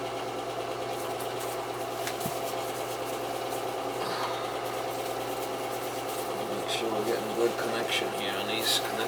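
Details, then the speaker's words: Oil burner being serviced for the first time in five years: steady low motor hum under the burner roar with no knocking or scraping; sounds like the power venter outside running normally. "sure we got good it sounds like there's a p no that sounds like a power ventor outside there that's what it sounds like to me"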